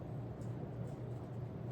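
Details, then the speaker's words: Robbins & Myers Hunter Original 50 lb cast-iron ceiling fan, freshly filled with oil, on a longer downrod, running on high: a quiet, low steady hum with soft air rush and no ticking or scraping. Runs smoothly and moves a lot of air. "here on high is moving just a crazy amount of air I mean with the U with the longer down rod and the open rafter and ceiling this is really just a recipe for insane air flow here"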